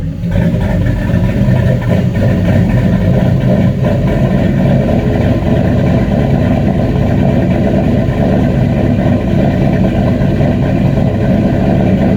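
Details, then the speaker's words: 94 Caprice, stock 5.3 LS swap on a Holley Terminator X MAX, first start: a loud, steady, slightly fast idle with a deep even drone. Air-fuel is 9.6 against a 13.8-14.2 target, plug-flooding rich, likely from excessive fuel pressure; a regulator is planned. "right now it's at nine six so it's definitely like flood your plugs out rich"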